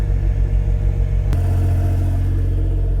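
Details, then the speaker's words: Autozam AZ-1 (Suzuki Cara) at high idle, about 60°F outside: a smooth, even low hum with no rattle, although a rattle was heard at low rpm while the oil pressure light was slow to go out. "at high idle, it doesn't make any noise."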